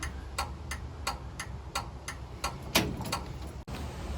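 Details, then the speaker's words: 1936 Chevy coupe, new universal turn signal switch: steady quick ticking, about three a second, never stopping with the switch off; owner suspects the two-pin flasher. "it must be something to do with the two prong the two pin flasher we'll try and do i'll one of those wires and see if it works at all otherwise i'll need to go and get a three prong flasher a three pin flasher"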